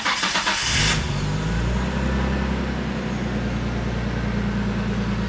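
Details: R33 Skyline after a DeatschWerks fuel pump install: a brief pump whir as it primes, then the engine catches quickly and settles into a smooth, even idle with no misses or knocks.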